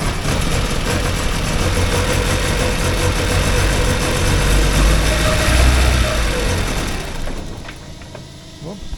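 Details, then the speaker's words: 1979 Porsche 924 cold after a fuel tank deep clean: about seven seconds of uneven, lumpy idle that sags and stalls before warming up; the owner checks underneath because a gas leak caused this before. "Yeah, it started right up again, so just a matter of letting it run rough for a few minutes until it warms up a bit. See there now it's starting to come or quit."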